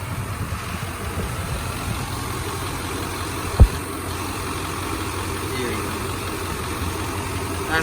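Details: 1995 Chevy K1500 Silverado with newly installed 355 TBI V8, no cam, only three miles on it, hood open: even, steady low rumble with no knocks or misses, one brief click aside, no leaks, running smooth; normal idle.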